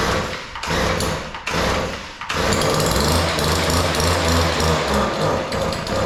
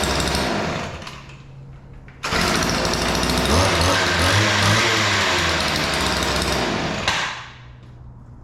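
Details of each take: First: Weed Eater PE550 two-stroke edger, primed with carburetor cleaner after failing on full and half choke: sputters and surges unevenly, cutting out twice before catching; both carburetor mixture screws far out of adjustment, too lean. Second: Weed Eater PE550 two-stroke edger after opening both too-lean carburetor mixture screws: buzzes up, holds a steady crisp rattle about five seconds, then drops back; starts easy, runs clean, fixed.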